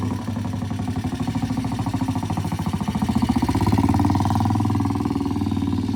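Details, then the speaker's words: Vintage British T20M 200cc single-cylinder four-stroke race bike pulling away on a test ride after repairs: crisp, even firing rising smoothly with revs, never missing; it runs fine. "Well, he went out under his own power. He came back under his own power. So far, so good."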